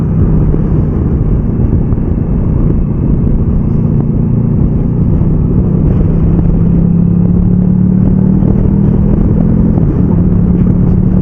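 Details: Motorcycle ridden by an instructor changing up and down through the gears without the clutch, blipping the revs on downshifts. Engine drone steps in pitch between gears with no crunch or clunk; clean, normal clutchless shifts.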